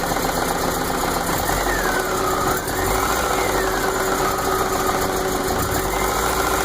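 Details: 1980 MG MGB petrol engine with rough idle: uneven beat stumbling now and then as a cylinder misses, even after vacuum lines corrected; it also stutters or dies dropping from high to low rpm.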